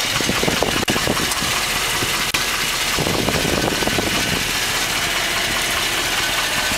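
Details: 2010 Hummer H3 Alpha, 5.3L LH9 all-aluminum flex-fuel engine, 2,500 miles, after about one hour running, warm idle: hollow, diesel-like rapping in time with the engine; GM calls it piston slap, and it does not fade after startup.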